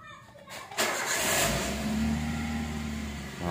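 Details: Car engine started after a new battery was fitted and the ignition was cycled on and off three times first. Short quiet spell, then a quick crank that catches and settles into a steady idle. Normal start.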